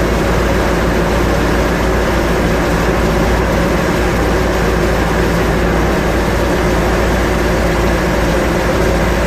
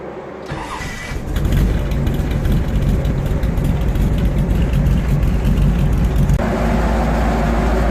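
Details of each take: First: Restored 1957 Chevy Bel Air V8, 5000 miles since restoration, right after startup on fresh fluids: deep, even rumble with steady loudness, no knocks or stumbles; normal idle. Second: 1957 Chevy Bel Air restomod, first cold start after changing motor oil, transmission and differential fluid: cranks, catches and settles into a slightly lumpy, uneven idle; mild rough cold start, nothing bad but not as smooth as it could be.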